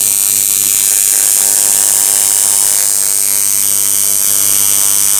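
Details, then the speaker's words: Coil tattoo machine driven by an electronic pulse generator at 100 Hz, 37% duty cycle: fast, even buzz with bright sizzling top end and steady pitch; running cleanly. "it's running pretty good there 37 percent"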